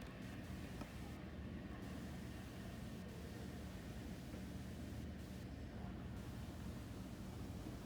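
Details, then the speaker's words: Statim sterilizer with distilled water, running an unwrapped cycle after start: a steady low rumbling hum with faint hiss and no knocks or surges as it warms up, building pressure and steam; normal pressurizing cycle. "And you're going to hear the beeping, then you'll hear it's building up pressure and steam."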